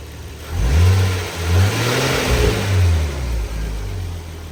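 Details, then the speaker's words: Nissan R34 Skyline after the clutch fan was removed and replaced with an electric fan. Clean, smooth revs up and back down, with exhaust and intake clearly heard and no fan roar over them. Healthy, normal revving. "So without the clutch fan, you can hear a lot more exhaust noise. You can hear more intake noise. And you can just hear the engine better overall."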